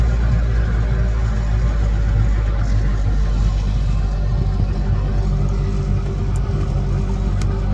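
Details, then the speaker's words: 1983 Evinrude 70hp outboard after fuel starvation on throttle-up: engine holds a high steady speed and only slowly drifts down after backing off to about 25% throttle; something sticking, hard on the dog gear, cause unknown. "I'm slowly coming back down. There. Still high, but something's sticking. Shouldn't do that. That's hard on the dog gear."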